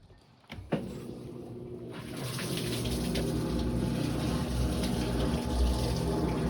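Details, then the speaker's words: GE washer on drain and spin: deep rumble builds with rapid flutter about four beats a second, sounds like transmission; drive belt off and motor pulley damaged, control board also involved. "see this drain and spin, it's gonna start draining, then it's gonna start spinning. But it had a weird noise."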